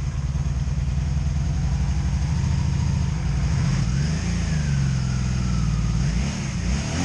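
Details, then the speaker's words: 2002 Honda Magna VF750C V4 idling unevenly with irregular popcorn-like popping from a misfire on one side, after the plug gaps were checked to spec; the wires are new. "you hear it missing hear it a little popcorn popping popping on that side"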